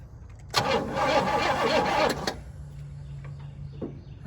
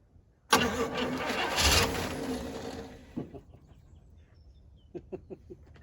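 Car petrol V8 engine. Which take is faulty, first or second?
second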